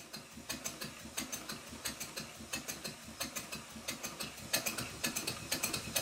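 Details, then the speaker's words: Stuart Twin Victoria steam engine being rebuilt, run on compressed air test: quick, sharp, slightly uneven metallic ticking a few times per second from a loose crosshead pin. The engine is still stiff; thread lock on the pin fixed it. "despite my efforts one of the crosshead pins is working loose again I used a small amount of thread lock on it and that fixed it"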